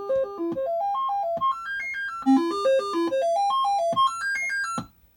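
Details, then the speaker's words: Commodore 64 test machine with the SID chip from the broken machine, dead test cartridge sound check (3 of 4 voices tested): clean stepped tones rise and fall on each voice, no dropouts or buzz; tested voices working. "So, the voices that we can check are in fact working. This is good."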